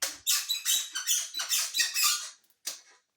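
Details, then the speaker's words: Ouxi GT2000 e-bike at about 300 miles: the rear shock squeaks with shrill, rubbing squeaks about three times a second as it is pumped; replacing the shock is recommended to cure it. "Also, that bat shock, no matter what you do, it's going to be squeaky as [ __ ] Listen to this."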